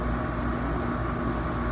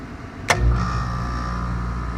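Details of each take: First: Home AC outdoor unit after repair, panels refitted: even low hum of compressor and fan with a faint steady tone, no buzzing or clicking; normal condenser operation. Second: Home AC outdoor unit: contactor clicks and the compressor hums steadily, but the condenser fan never starts and no fan whoosh builds; failed run capacitor, fan nudged with a stick to get it going.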